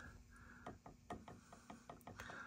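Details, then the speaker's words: Heathkit Marauder HX-10 VFO tuning shaft turned by hand, giving sharp irregular clicks of about three or four a second from slight end play between the two collars after relocating the misplaced collar to the rear of the bushing. "it's clicking only because there's a little bit of play between these two collars but that's the only reason"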